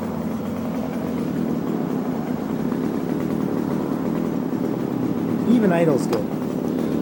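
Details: Echo HC2000 hedge trimmer, a garbage find, running after primer bulb replacement on a poor oil mix with Seafoam added: small two-stroke burbling at a steady, even idle with no surging or dying out. It idles properly.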